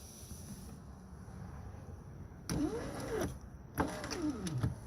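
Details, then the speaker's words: 2009 Hyundai Elantra left front power window; motor whirs up and down, pitch sliding each stroke, with gritty crunches along travel; motor works, so regulator is at fault. Power window regulator crunching. "You hear it crunching. So, since it's going up and down, you know the motor's working. So what's left is the regulator."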